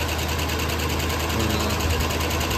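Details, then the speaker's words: Ford F150 first run after engine swap, radiator not yet fitted, distributor not tightened so timing is off, check engine light on: rapid steady light tapping over a rough, loud open-exhaust idle, tap origin unknown. "I got a little bit of a tap here I know the timing's off cuz we uh haven't tightened up the distributor yet"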